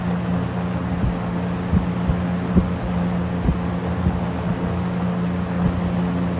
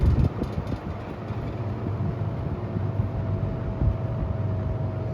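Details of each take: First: Restored late-1970s Toastmaster 7324 fan running on high: steady airy rush over a constant low motor hum, no grinding or rattling, only faint light ticks; owner notes an odd blade noise on spin-down; normal fan running on high. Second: Late-1970s Toastmaster 7324 three-speed fan, bought used and run for the first time before restoration, cycling through its speeds: a steady low motor hum with a faint constant tone under the airflow; owner says it hums, but less than another example.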